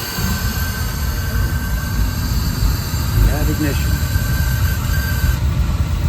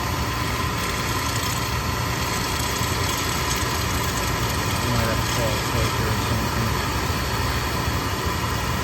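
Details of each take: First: Oil burner that quit after an oil delivery, after replacing the filter and nozzle and bleeding the line: a steady low roar with an even flame rumble and no sputter or pulsing, firing normally; a few air bubbles were possible at first. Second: Oil burner that stopped working after an oil delivery, running after a reset while oil is bled from the pump bleeder, with the filters suspected of debris: a steady roar with a faint, uneven flutter; the burner may be starving for oil.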